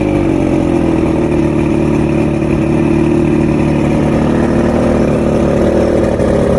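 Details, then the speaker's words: Outboard two-stroke after a three-week rebuild fixing rough idle, surges and misfires, new electronics: strong, steady drone holding an even pitch with no surging or stumbling; running cleanly. "I went down the rabbit hole, finally got the engine talking."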